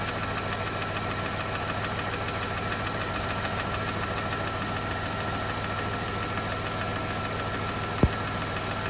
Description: Engine knock on a 2007 Mercedes E280 with the 3.0L M272 engine. (manufactured post balance shaft fix).